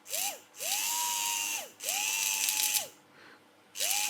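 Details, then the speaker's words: Vintage Tri-ang model railway locomotive motor, bench-run with power touched on: bursts of smooth whine climbing and settling, even, no grinding; a bit sparky at the commutator and needs cleaning, but sounds healthy. "yeah I think that will benefit from a clean it's a little bit Sparky you can see it flashing away there yeah so again that's a project for another day but I think that sounds very very healthy"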